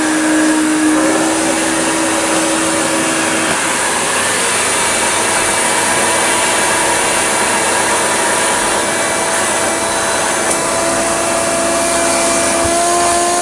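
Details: Hoover Turbopower UB088 upright vacuum (about 1996), described as new in box but broken since new with a funny noise. After repair it pulls across the rug with the brush roll fitted: a steady, high motor roar with no stutter. The whole fault was one spade connector.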